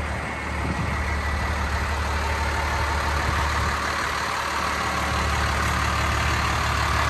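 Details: 1993 Dodge Ram W-350 4x4, 12-valve 5.9 Cummins intercooled diesel, automatic four-speed, 51,414 original miles, fully serviced, just started: even steady idle clatter holding a constant beat, no knocks or misses; healthy.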